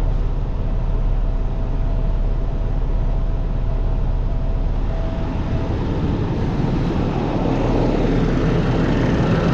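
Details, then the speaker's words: Peterbilt with an ISX Cummins CM2250, first start after repairing a front structure leak, run briefly with no coolant: it catches and settles into an even rumble with no knocks, rattles or misfires; normal idle. "all right well she runs sounds normal let's uh shut her down"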